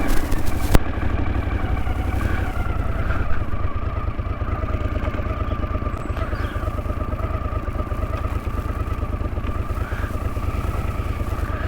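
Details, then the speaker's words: 1981 Honda CX500 twin in neutral: even, quick idle thump sitting noticeably high with no misses or clatter; idle crept up after balancing the carbs and hadn't been readjusted. "So, that's just from balancing, I think, from balancing those carbs. I hadn't adjusted it."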